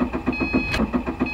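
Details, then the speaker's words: Subaru (common on Impreza and Crosstrek) long-crank problem: steady starter churning with even compression pulses about seven per second and no catch; cranks so long it often needs a second attempt, then starts. "so when you push the key to the on position it will turn over and crank over for a long time and oftentimes it'll crank so long that you'll stop and have to re try starting the car and almost always it will start on the second time that you attempt to start it"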